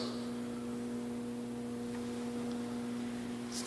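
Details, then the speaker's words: Garage door opener that lights up on the remote but won't run: steady low electrical hum with no motor spin-up. Faulty start capacitor. "Demonstrate to you what the symptom is. As you can hear, it's humming, lights coming on when I press this remote."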